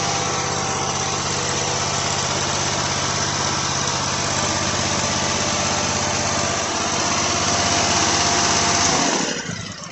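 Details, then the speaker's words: Kawasaki FH680V V-twin mower engine running after valve adjustment and valve cover reinstall; even steady beat, earlier clicking from one valve cover gone, then shutdown; runs smooth and healthy. "motor so obviously I was able to button everything up we got our chrome valve covers on top all buttoned up runs nice and smooth"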